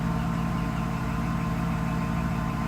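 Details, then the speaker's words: Mercedes SL600 V12 after mass air flow sensor wiring repair: smooth even idle with steady low hum, rpm no longer hunting or surging; healthy. "engine runs pretty nice I don't know if you can hear it steady the RPMs are not jumping up and down like insane"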